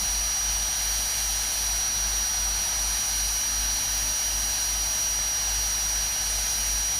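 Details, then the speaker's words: Unloading a 30ft powder tanker (isoveyor): vent valve opened slowly to release excess tank pressure manually, a steady loud hiss with no low rumble; normal, though venting can make powder hiccup and cause blockage. "I'm just opening up the vent valve slowly to vent some of the excess you don't have to do as such"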